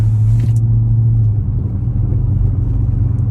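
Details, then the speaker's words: Straight-piped V8 Chrysler 300, after fitting muffler/resonators to cut cabin drone, at steady cruise: deep even rumble with no harsh drone or boom, sounds much calmer; normal exhaust note while cruising. "Sounds a little bit chiller. I'm not going to lie. Like way chill."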